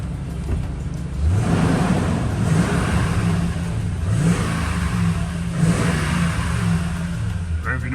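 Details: 2012 Toyota Tundra revved after new ignition coils and spark plugs were fitted and the check-engine light cleared: climbs and falls smoothly through several revs with no stumble or miss. Runs clean, normal.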